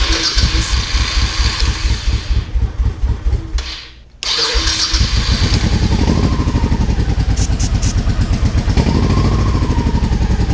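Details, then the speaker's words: Motorcycle with pod filters and dirty carbs, no choke, starting fluid sprayed into airbox while cranking: uneven, lumpy firing as the second cylinder briefly catches and takes throttle, then drops back to one cylinder and dies; dirty carbs starving a cylinder. "See how it you actually heard that second cylinder come to life and then it would actually take the throttle for a second and then it would shut back off into that one cylinder and then it would die back out."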